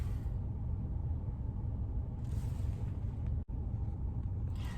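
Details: Audi/VW Quattro platform while driving: deep, steady rotational roaring, howling cabin drone from a bad wheel bearing, diagnosed before replacement.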